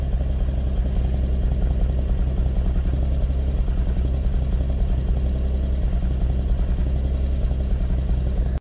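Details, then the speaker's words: Lexus IS200 petrol six at cold start, low rpm: uneven, stumbling misfire from a failing ignition coil; smooths out once warm, no check engine light. "zaczyna problem za każdym razem przy odpaleniu samochodu na zimnym natomiast odbywało się to w ten sposób że silnik pracował nierówno i Działo się to tylko i wyłącznie na obrotach niskich"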